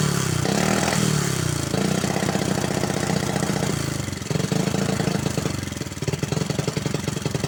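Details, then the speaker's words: Honda Supra X 110cc, engine code JN5, used daily for hauling, oil rarely or never changed, spark plugs often failing: loud clattery mechanical rattle over the exhaust at idle and blips, before teardown. "kita cek untuk suara mesin yang begitu berisik ya teman-teman"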